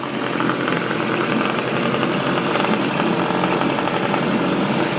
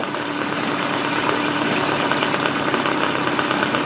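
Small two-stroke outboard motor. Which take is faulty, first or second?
first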